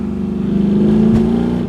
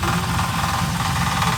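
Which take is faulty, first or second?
second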